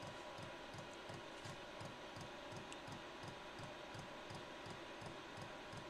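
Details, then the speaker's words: Cheap Chinese diesel heater burning kerosene on Ryobi batteries after sitting 6 months: quiet steady pump ticking about 85 a minute over faint fan hum, no burner roar, slow to ignite; owner suspects kerosene puddled in burner from last hot shutdown. "this thing should kick on any second here come on it's cuz I shut it down hot last time so there's probably puddles of kerosene in the burner"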